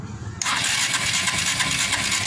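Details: Suzuki Shogun 125 R motorcycle during ignition testing: a steady starter whir with the engine spinning but never firing. No spark, traced to a faulty CDI unit.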